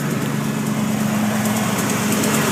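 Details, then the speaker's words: 1993 Ford Bronco XLT, newly rebuilt 351W with shorty headers, at idle: a light quick tick keeps time with the engine, loudest behind the front passenger tire. Exhaust, ignition, starter, converter bolts and PCV were ruled out; owner suspects a collapsed lifter, unconfirmed. "It sounds like it's coming from that area back there. It sounds like it's right here somewhere."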